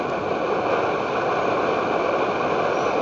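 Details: Edward Hexon backpacking stove on white gas (Coleman fuel), syringe-fed at about 3 cc per minute in place of its pump: steady, even roaring hiss with no sputter or surging; burner running cleanly at maximum output.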